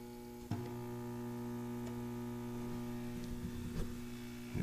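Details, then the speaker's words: International Harvester (Century 1200 type) battery charger after repair, 12 V slow charge with amps rising: steady deep transformer hum, louder under load, no buzzing or crackle; charging normally. "Well, this thing's humming a little bit more, and the amps are up. Same settings."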